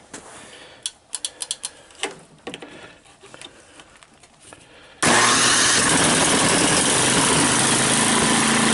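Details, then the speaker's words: Tecumseh-engined MTD 8/26 snowblower, about 13 or 23 years old, cold start on electric starter with choke on and throttle up; catches at once, steady even buzzing run, seems to need a lot of choke. "all right so the electric starter works the recoil starter works it actually starts and it runs seems to like a lot of Choke"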